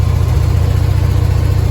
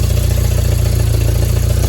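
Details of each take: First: Willys CJ3B with a freshly swapped F-head engine, replacing an L-head, running cold right after timing was roughly set: deep, even thumping idle, steady low pulse, no knocks or misses. Normal cold idle with good oil pressure. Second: Willys CJ3B with freshly swapped F-head engine, just after fixing an oil leak: runs rough, sags and nearly dies twice before picking up; only kept running by hand choking, carburetor bowl almost empty with scuzzy old fuel, fuel starvation.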